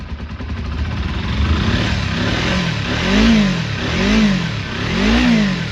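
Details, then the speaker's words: Restored Kawasaki Eliminator EL250 motorcycle, cold start on a freezing day: runs steadily with a bit of smoke, then three clean blips about a second apart, rising and falling smoothly; normal revving. "Got a bit of smoke then. It's perfect. Good as new."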